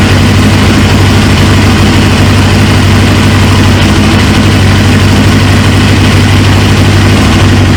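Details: 1999 Suzuki GSX-R 750, first start of a freshly installed used engine: strong, even idle with a steady low drone and no knocks, misses or hunting; the engine sounds healthy while fuel leaks from the tank.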